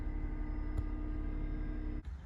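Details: 2008 Smart Fortwo after replacing secondary air pump (old one apparently water-filled; P0410): steady, even drone over cold idle for a couple of seconds then cuts out; air pump running normally.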